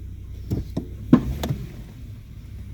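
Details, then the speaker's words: 2014 Toyota Sienna: a few dull clunks from the front when shifting into reverse, also on pulling away from stops; mechanic blamed the lower control arm bushing, but the cause was a loose upper engine torque mount, and tightening it removed the sound. "I just switched to the reverse. I could hear the clunks."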